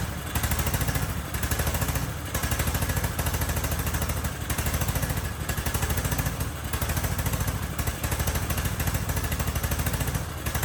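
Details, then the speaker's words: Husqvarna riding mower (barn find, possibly a 2554) with intake manifold and air box removed, running only on brake cleaner sprayed in: fires but surges and sags about once a second; spark is fine, the gummed carburetor is the fault. "All right. Well, that answers that question. That was a lot of work just to find out the carbs gummed up."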